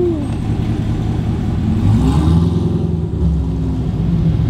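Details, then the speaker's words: Chevrolet Camaro after the exhaust leaks were fixed: a deep, smooth exhaust rumble rising under throttle, with no ticking or puffing from the headers; a normal, even exhaust note. "having no more engine leaks I can hear it it's sounds better y'all I promised it makes a big difference with no engine leaks right now sounds so so much better"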